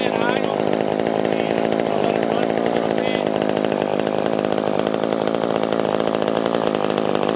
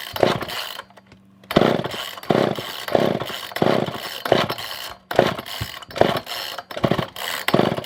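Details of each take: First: Older Poulan 2000 chainsaw that had sat unused, after carburetor cleaning and fuel line trimming: small two-stroke buzzing at a fast, even idle with a crisp rattle on top; normal idle. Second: Poulan 2000 chainsaw, not started in a long while, choke on, before carb clean and fuel line trim: surges in ragged bursts about twice a second, won't hold revs, dies back; poor fuel pickup, fuel starvation.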